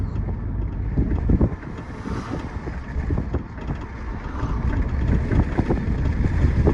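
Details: 2011 Audi A5 Quattro, rear passenger suspension while driving: irregular sharp clicks through road rumble and wind noise; owner suspects the upper shock mount or the sway bar, not confirmed.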